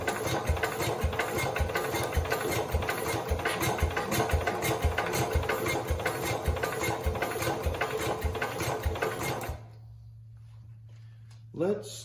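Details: 1969 Cub Cadet 105 engine, reassembled after ignition problems, choked, coil freshly powered: even cranking thumps about 105 a minute that never catch; one faint attempt to fire. Crank no start; owner suspects crankshaft or camshaft, spark, or too little fuel.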